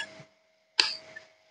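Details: Yamaha Exciter 135 motorbike with a no-start electrical fault: sharp, crisp evenly spaced turn signal clicks; the flasher is working normally.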